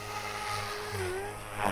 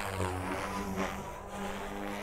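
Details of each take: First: Electric RC helicopter hovering at high RPM with governor P and I gains set far too high; motor whine wavers and chirps, not smooth, with slight tail wag from inconsistent RPM. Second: Electric RC helicopter flying a manoeuvre sequence with the ESC governor gain correctly set: smooth rotor hum holds nearly the same pitch throughout, no sagging or surging; normal steady rotor speed.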